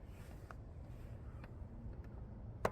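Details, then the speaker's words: Carbon road bike with integrated bars: a sharp dry click when pressure goes on the front of the bars, which lever against the carbon steerer. "when I kind of put pressure on the front of the bars, it kind of leveraged against the steerer tube in here, and there was a clicking, kind of creaking sound."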